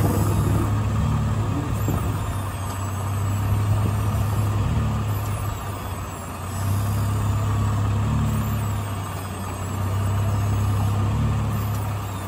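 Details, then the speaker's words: Jeep on a test drive in a dirt lot, turning to recheck a second Teraflex Alpine IR track bar that had been clicking and clunking. Engine rumble only, with no front-end clicks or clunks heard this time. "okay no clinky clunks damn it"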